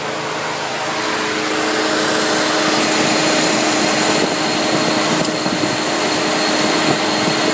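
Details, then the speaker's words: SRT-4 in the engine bay with A/C on, loud sucking noise also heard under passenger-side dash: busy hiss and hum with quick, regular clicking, vibration felt through pedals; points to the A/C compressor, cause unclear. "I don't know that clicking is pretty loud from inside the cabin also I can feel the vibration through the pedals is that normal I don't know"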